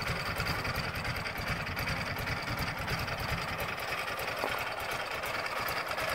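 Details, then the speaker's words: Cold start and idle of a 15-year-old 2006 Ural Troyka 1WD carbureted twin sidecar motorcycle at about 38°F, given a little throttle as it fires after a test drive: steady, even ticking putter with no knocks or misses, normal cold idle. "of course the carbureted ones we always give them a little bit of throttle once they start to fire it is a little chilly out today it's 38 degrees or so out here"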